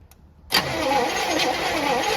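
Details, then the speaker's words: 1964 Chevy Impala sitting almost 50 years, cranking attempt: starter kicks in abruptly and spins with a thin uneven whir, engine never catches; something sounds wrong, spark present, cause unclear. Abnormal cranking, no start. "damn it's just not doing it you fill those plugs again try it again oh something doesn't sound right"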